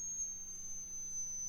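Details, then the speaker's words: 1935 Philco 54C speaker, field coil at 40 mA and 117–118 V (about 2,950 ohms), playing a tone a little over 6,000 Hz; clean steady high tone with no buzz or rattle, reproducing properly. "where I start hearing it that's a little over 6,000 Hertz"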